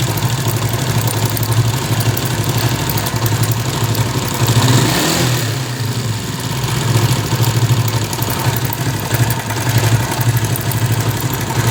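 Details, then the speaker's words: 70cc bike, about a 2015 model, idling with a fast, loose metallic rattle from the timing chain; repeated chain changes didn't stop it, traced to a worn tensioner. "सुना कैसे यह गाड़ी की जो timing चैन आवाज कर रही थी तो इसके काफी सारे मजबूत होते हैं यार टेंशन आवाज़ करने के"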